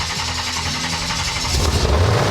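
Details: 1978 Chevrolet El Camino with a newly installed GM Ram Jet 350 V8, restarted after first start-up: it catches and settles into a throaty idle, then revs up strong and clean with no miss. Healthy engine.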